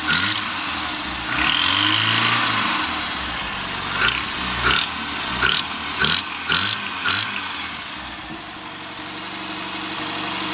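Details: Rover Mini Cooper MPI engine; harsh sharp metallic knocks in short bursts only when throttle opens, gone at steady or falling revs. Source unidentified.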